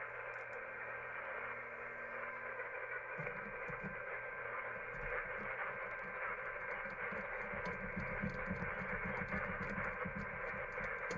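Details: uBitx transceiver with Nextion touch screen running CEC firmware, on 40 meters: steady hiss with muffled broadcast audio underneath; receiver indiscriminately picks up the AM broadcast band from strong local AM stations.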